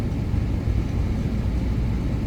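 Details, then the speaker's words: Trane package unit, reported for a thumping sound and cycling on and off, after a power cycle and possible lightning damage to the control board: steady, even low rumble of the indoor blower running continuously, no thumps, control board light solid. "huh okay so now the indoor blower motor is running like it should be the light is solid"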